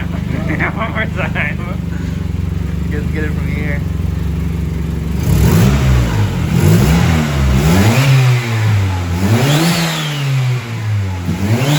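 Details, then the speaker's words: Turbocharged Honda Civic D16Y7 (1.6L SOHC non-VTEC, 8 lb wastegate spring, 0.63 A/R turbo, one muffler resonator, 240cc injectors, stock untuned ECU), idle around 750 rpm. Free revs climb and fall cleanly with a rising turbo whistle, no knocks; normal turbo spool, making boost. "that sounded pretty insane definitely pushing out some boost"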